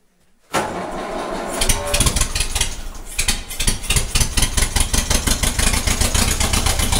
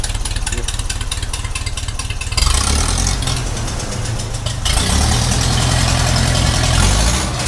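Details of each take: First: 1956 Ferguson TE20 TVO four-cylinder tractor, first run in 8 years: fires up, then settles into an uneven, lumpy beat with a regular missing pulse. Running on three cylinders; cylinder number one suspected. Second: 1956 Ferguson 20 TVO tractor first running after 8 years, after changing leads, cleaning distributor and fuel tank, replacing a spark plug and recalibrating carburettor, charging light out: steady even low beat idle, no misses or knocks.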